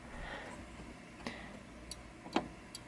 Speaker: So, it's very important for testing that you listen to the switch. You should hear it click open and click closed.